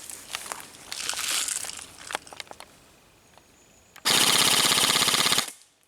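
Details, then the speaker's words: Krytac LMG Enhanced airsoft gun, downgraded from about 400 to 345 fps with 0.25 g BBs, full-auto on LiPo: a fast, even, crisp rattle of shots for about 1.5 s after handling, stopping cleanly; normal full-auto cycling. "All firing tests will be done in full-auto FPS wise, we're at 345fps"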